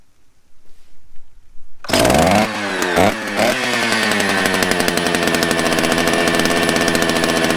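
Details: Chainsaw, not heavily abused, fresh gas and primed: fires after a couple of pulls, blips up, then settles into a steady, even buzzing idle with no hesitation; runs well.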